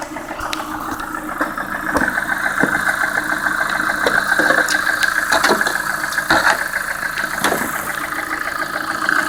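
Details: Lada Priora, warm idle, about 3000 km after replacing the piston group with a 124 set following bent valves; oil changed Lukoil 10W-40 to ZIC 10W-40: light quick irregular tapping; knock heard cold and warm, piston or hydraulic lifters suspected.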